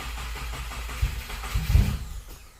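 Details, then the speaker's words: 2015+ Subaru WRX STI FA20 cranking with the fuel system disabled to relieve pressure before a compression test: a low, even churning that never catches, with no fuel pressure at the rail. "We want some fuel, but we got no fuel."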